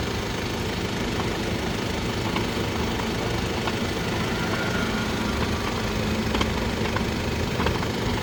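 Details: Low-mileage Mercedes GLE350de hybrid coupe (W167) while driving: rough, gritty grinding under a steady drive hum; failed transfer case, which can be temporarily silenced by removing the transfer case electric motor.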